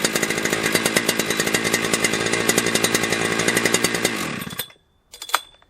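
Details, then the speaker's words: Husqvarna 3120XP chainsaw after a lean-condition carburetor fix with the limiter drilled out: screaming high revs held at wide open throttle, a slight four-stroking burble, then shut off; runs properly. "Yeah, that's how it's supposed to sound, right? At wide open throttle, it's supposed to go, whoa, and it just has that ever so slightly with that limited high drilled out. I mean, it's perfect."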